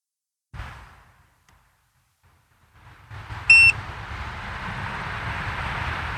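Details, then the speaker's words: Harbor Freight Predator 5000 generator on LP (new tank, 88%), choke closed and throttle set back: a brief muffled attempt, then a short high beep and rising hiss, and it never catches. The electric start fails, and the owner thinks the battery is low. "Now, it won't start at all. I think it's because the battery is low."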